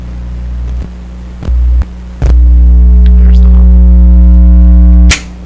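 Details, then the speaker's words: Sparton 1567 tube radio with both expander tubes removed; loud, steady, buzzy low mains hum through the speaker that never changes, persisting despite the pulled tubes. "okay that's kind of interesting in itself both expander tubes out and it's humming really crazy"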